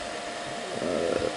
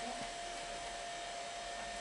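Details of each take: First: Amiga 2000 power supply fan, before replacement: loud steady airy whir with constant hum, sounds like an aircraft taking off; noisy PSU fan. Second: Amiga 2000 power supply fan (first spun wrong way round): smooth even airy whir with clean steady hum, no rattle or ticking; fan running normally with good air movement.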